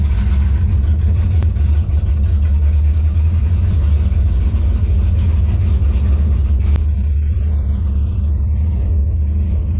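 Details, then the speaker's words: 1957 Chevy delivery with Hilborn mechanical injection, warmed up after valve lash set by feeler gauge: deep, uneven, lumpy stumbling rumble; still running poorly, owner suspects lean misfire, maybe too little fuel needing a pill change. "All right, so that wasn't any better. I'm gonna pull the plugs and see if it still looks like it's running lean."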